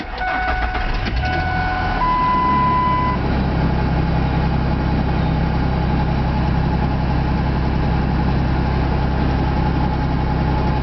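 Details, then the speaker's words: 1999 Ford F150 XL just started: steady low idle with a light irregular tick faintly over it; owner says it is an exhaust leak, not confirmed; ticking at idle. "There She Goes she's running hear that noise that's an exhaust leak"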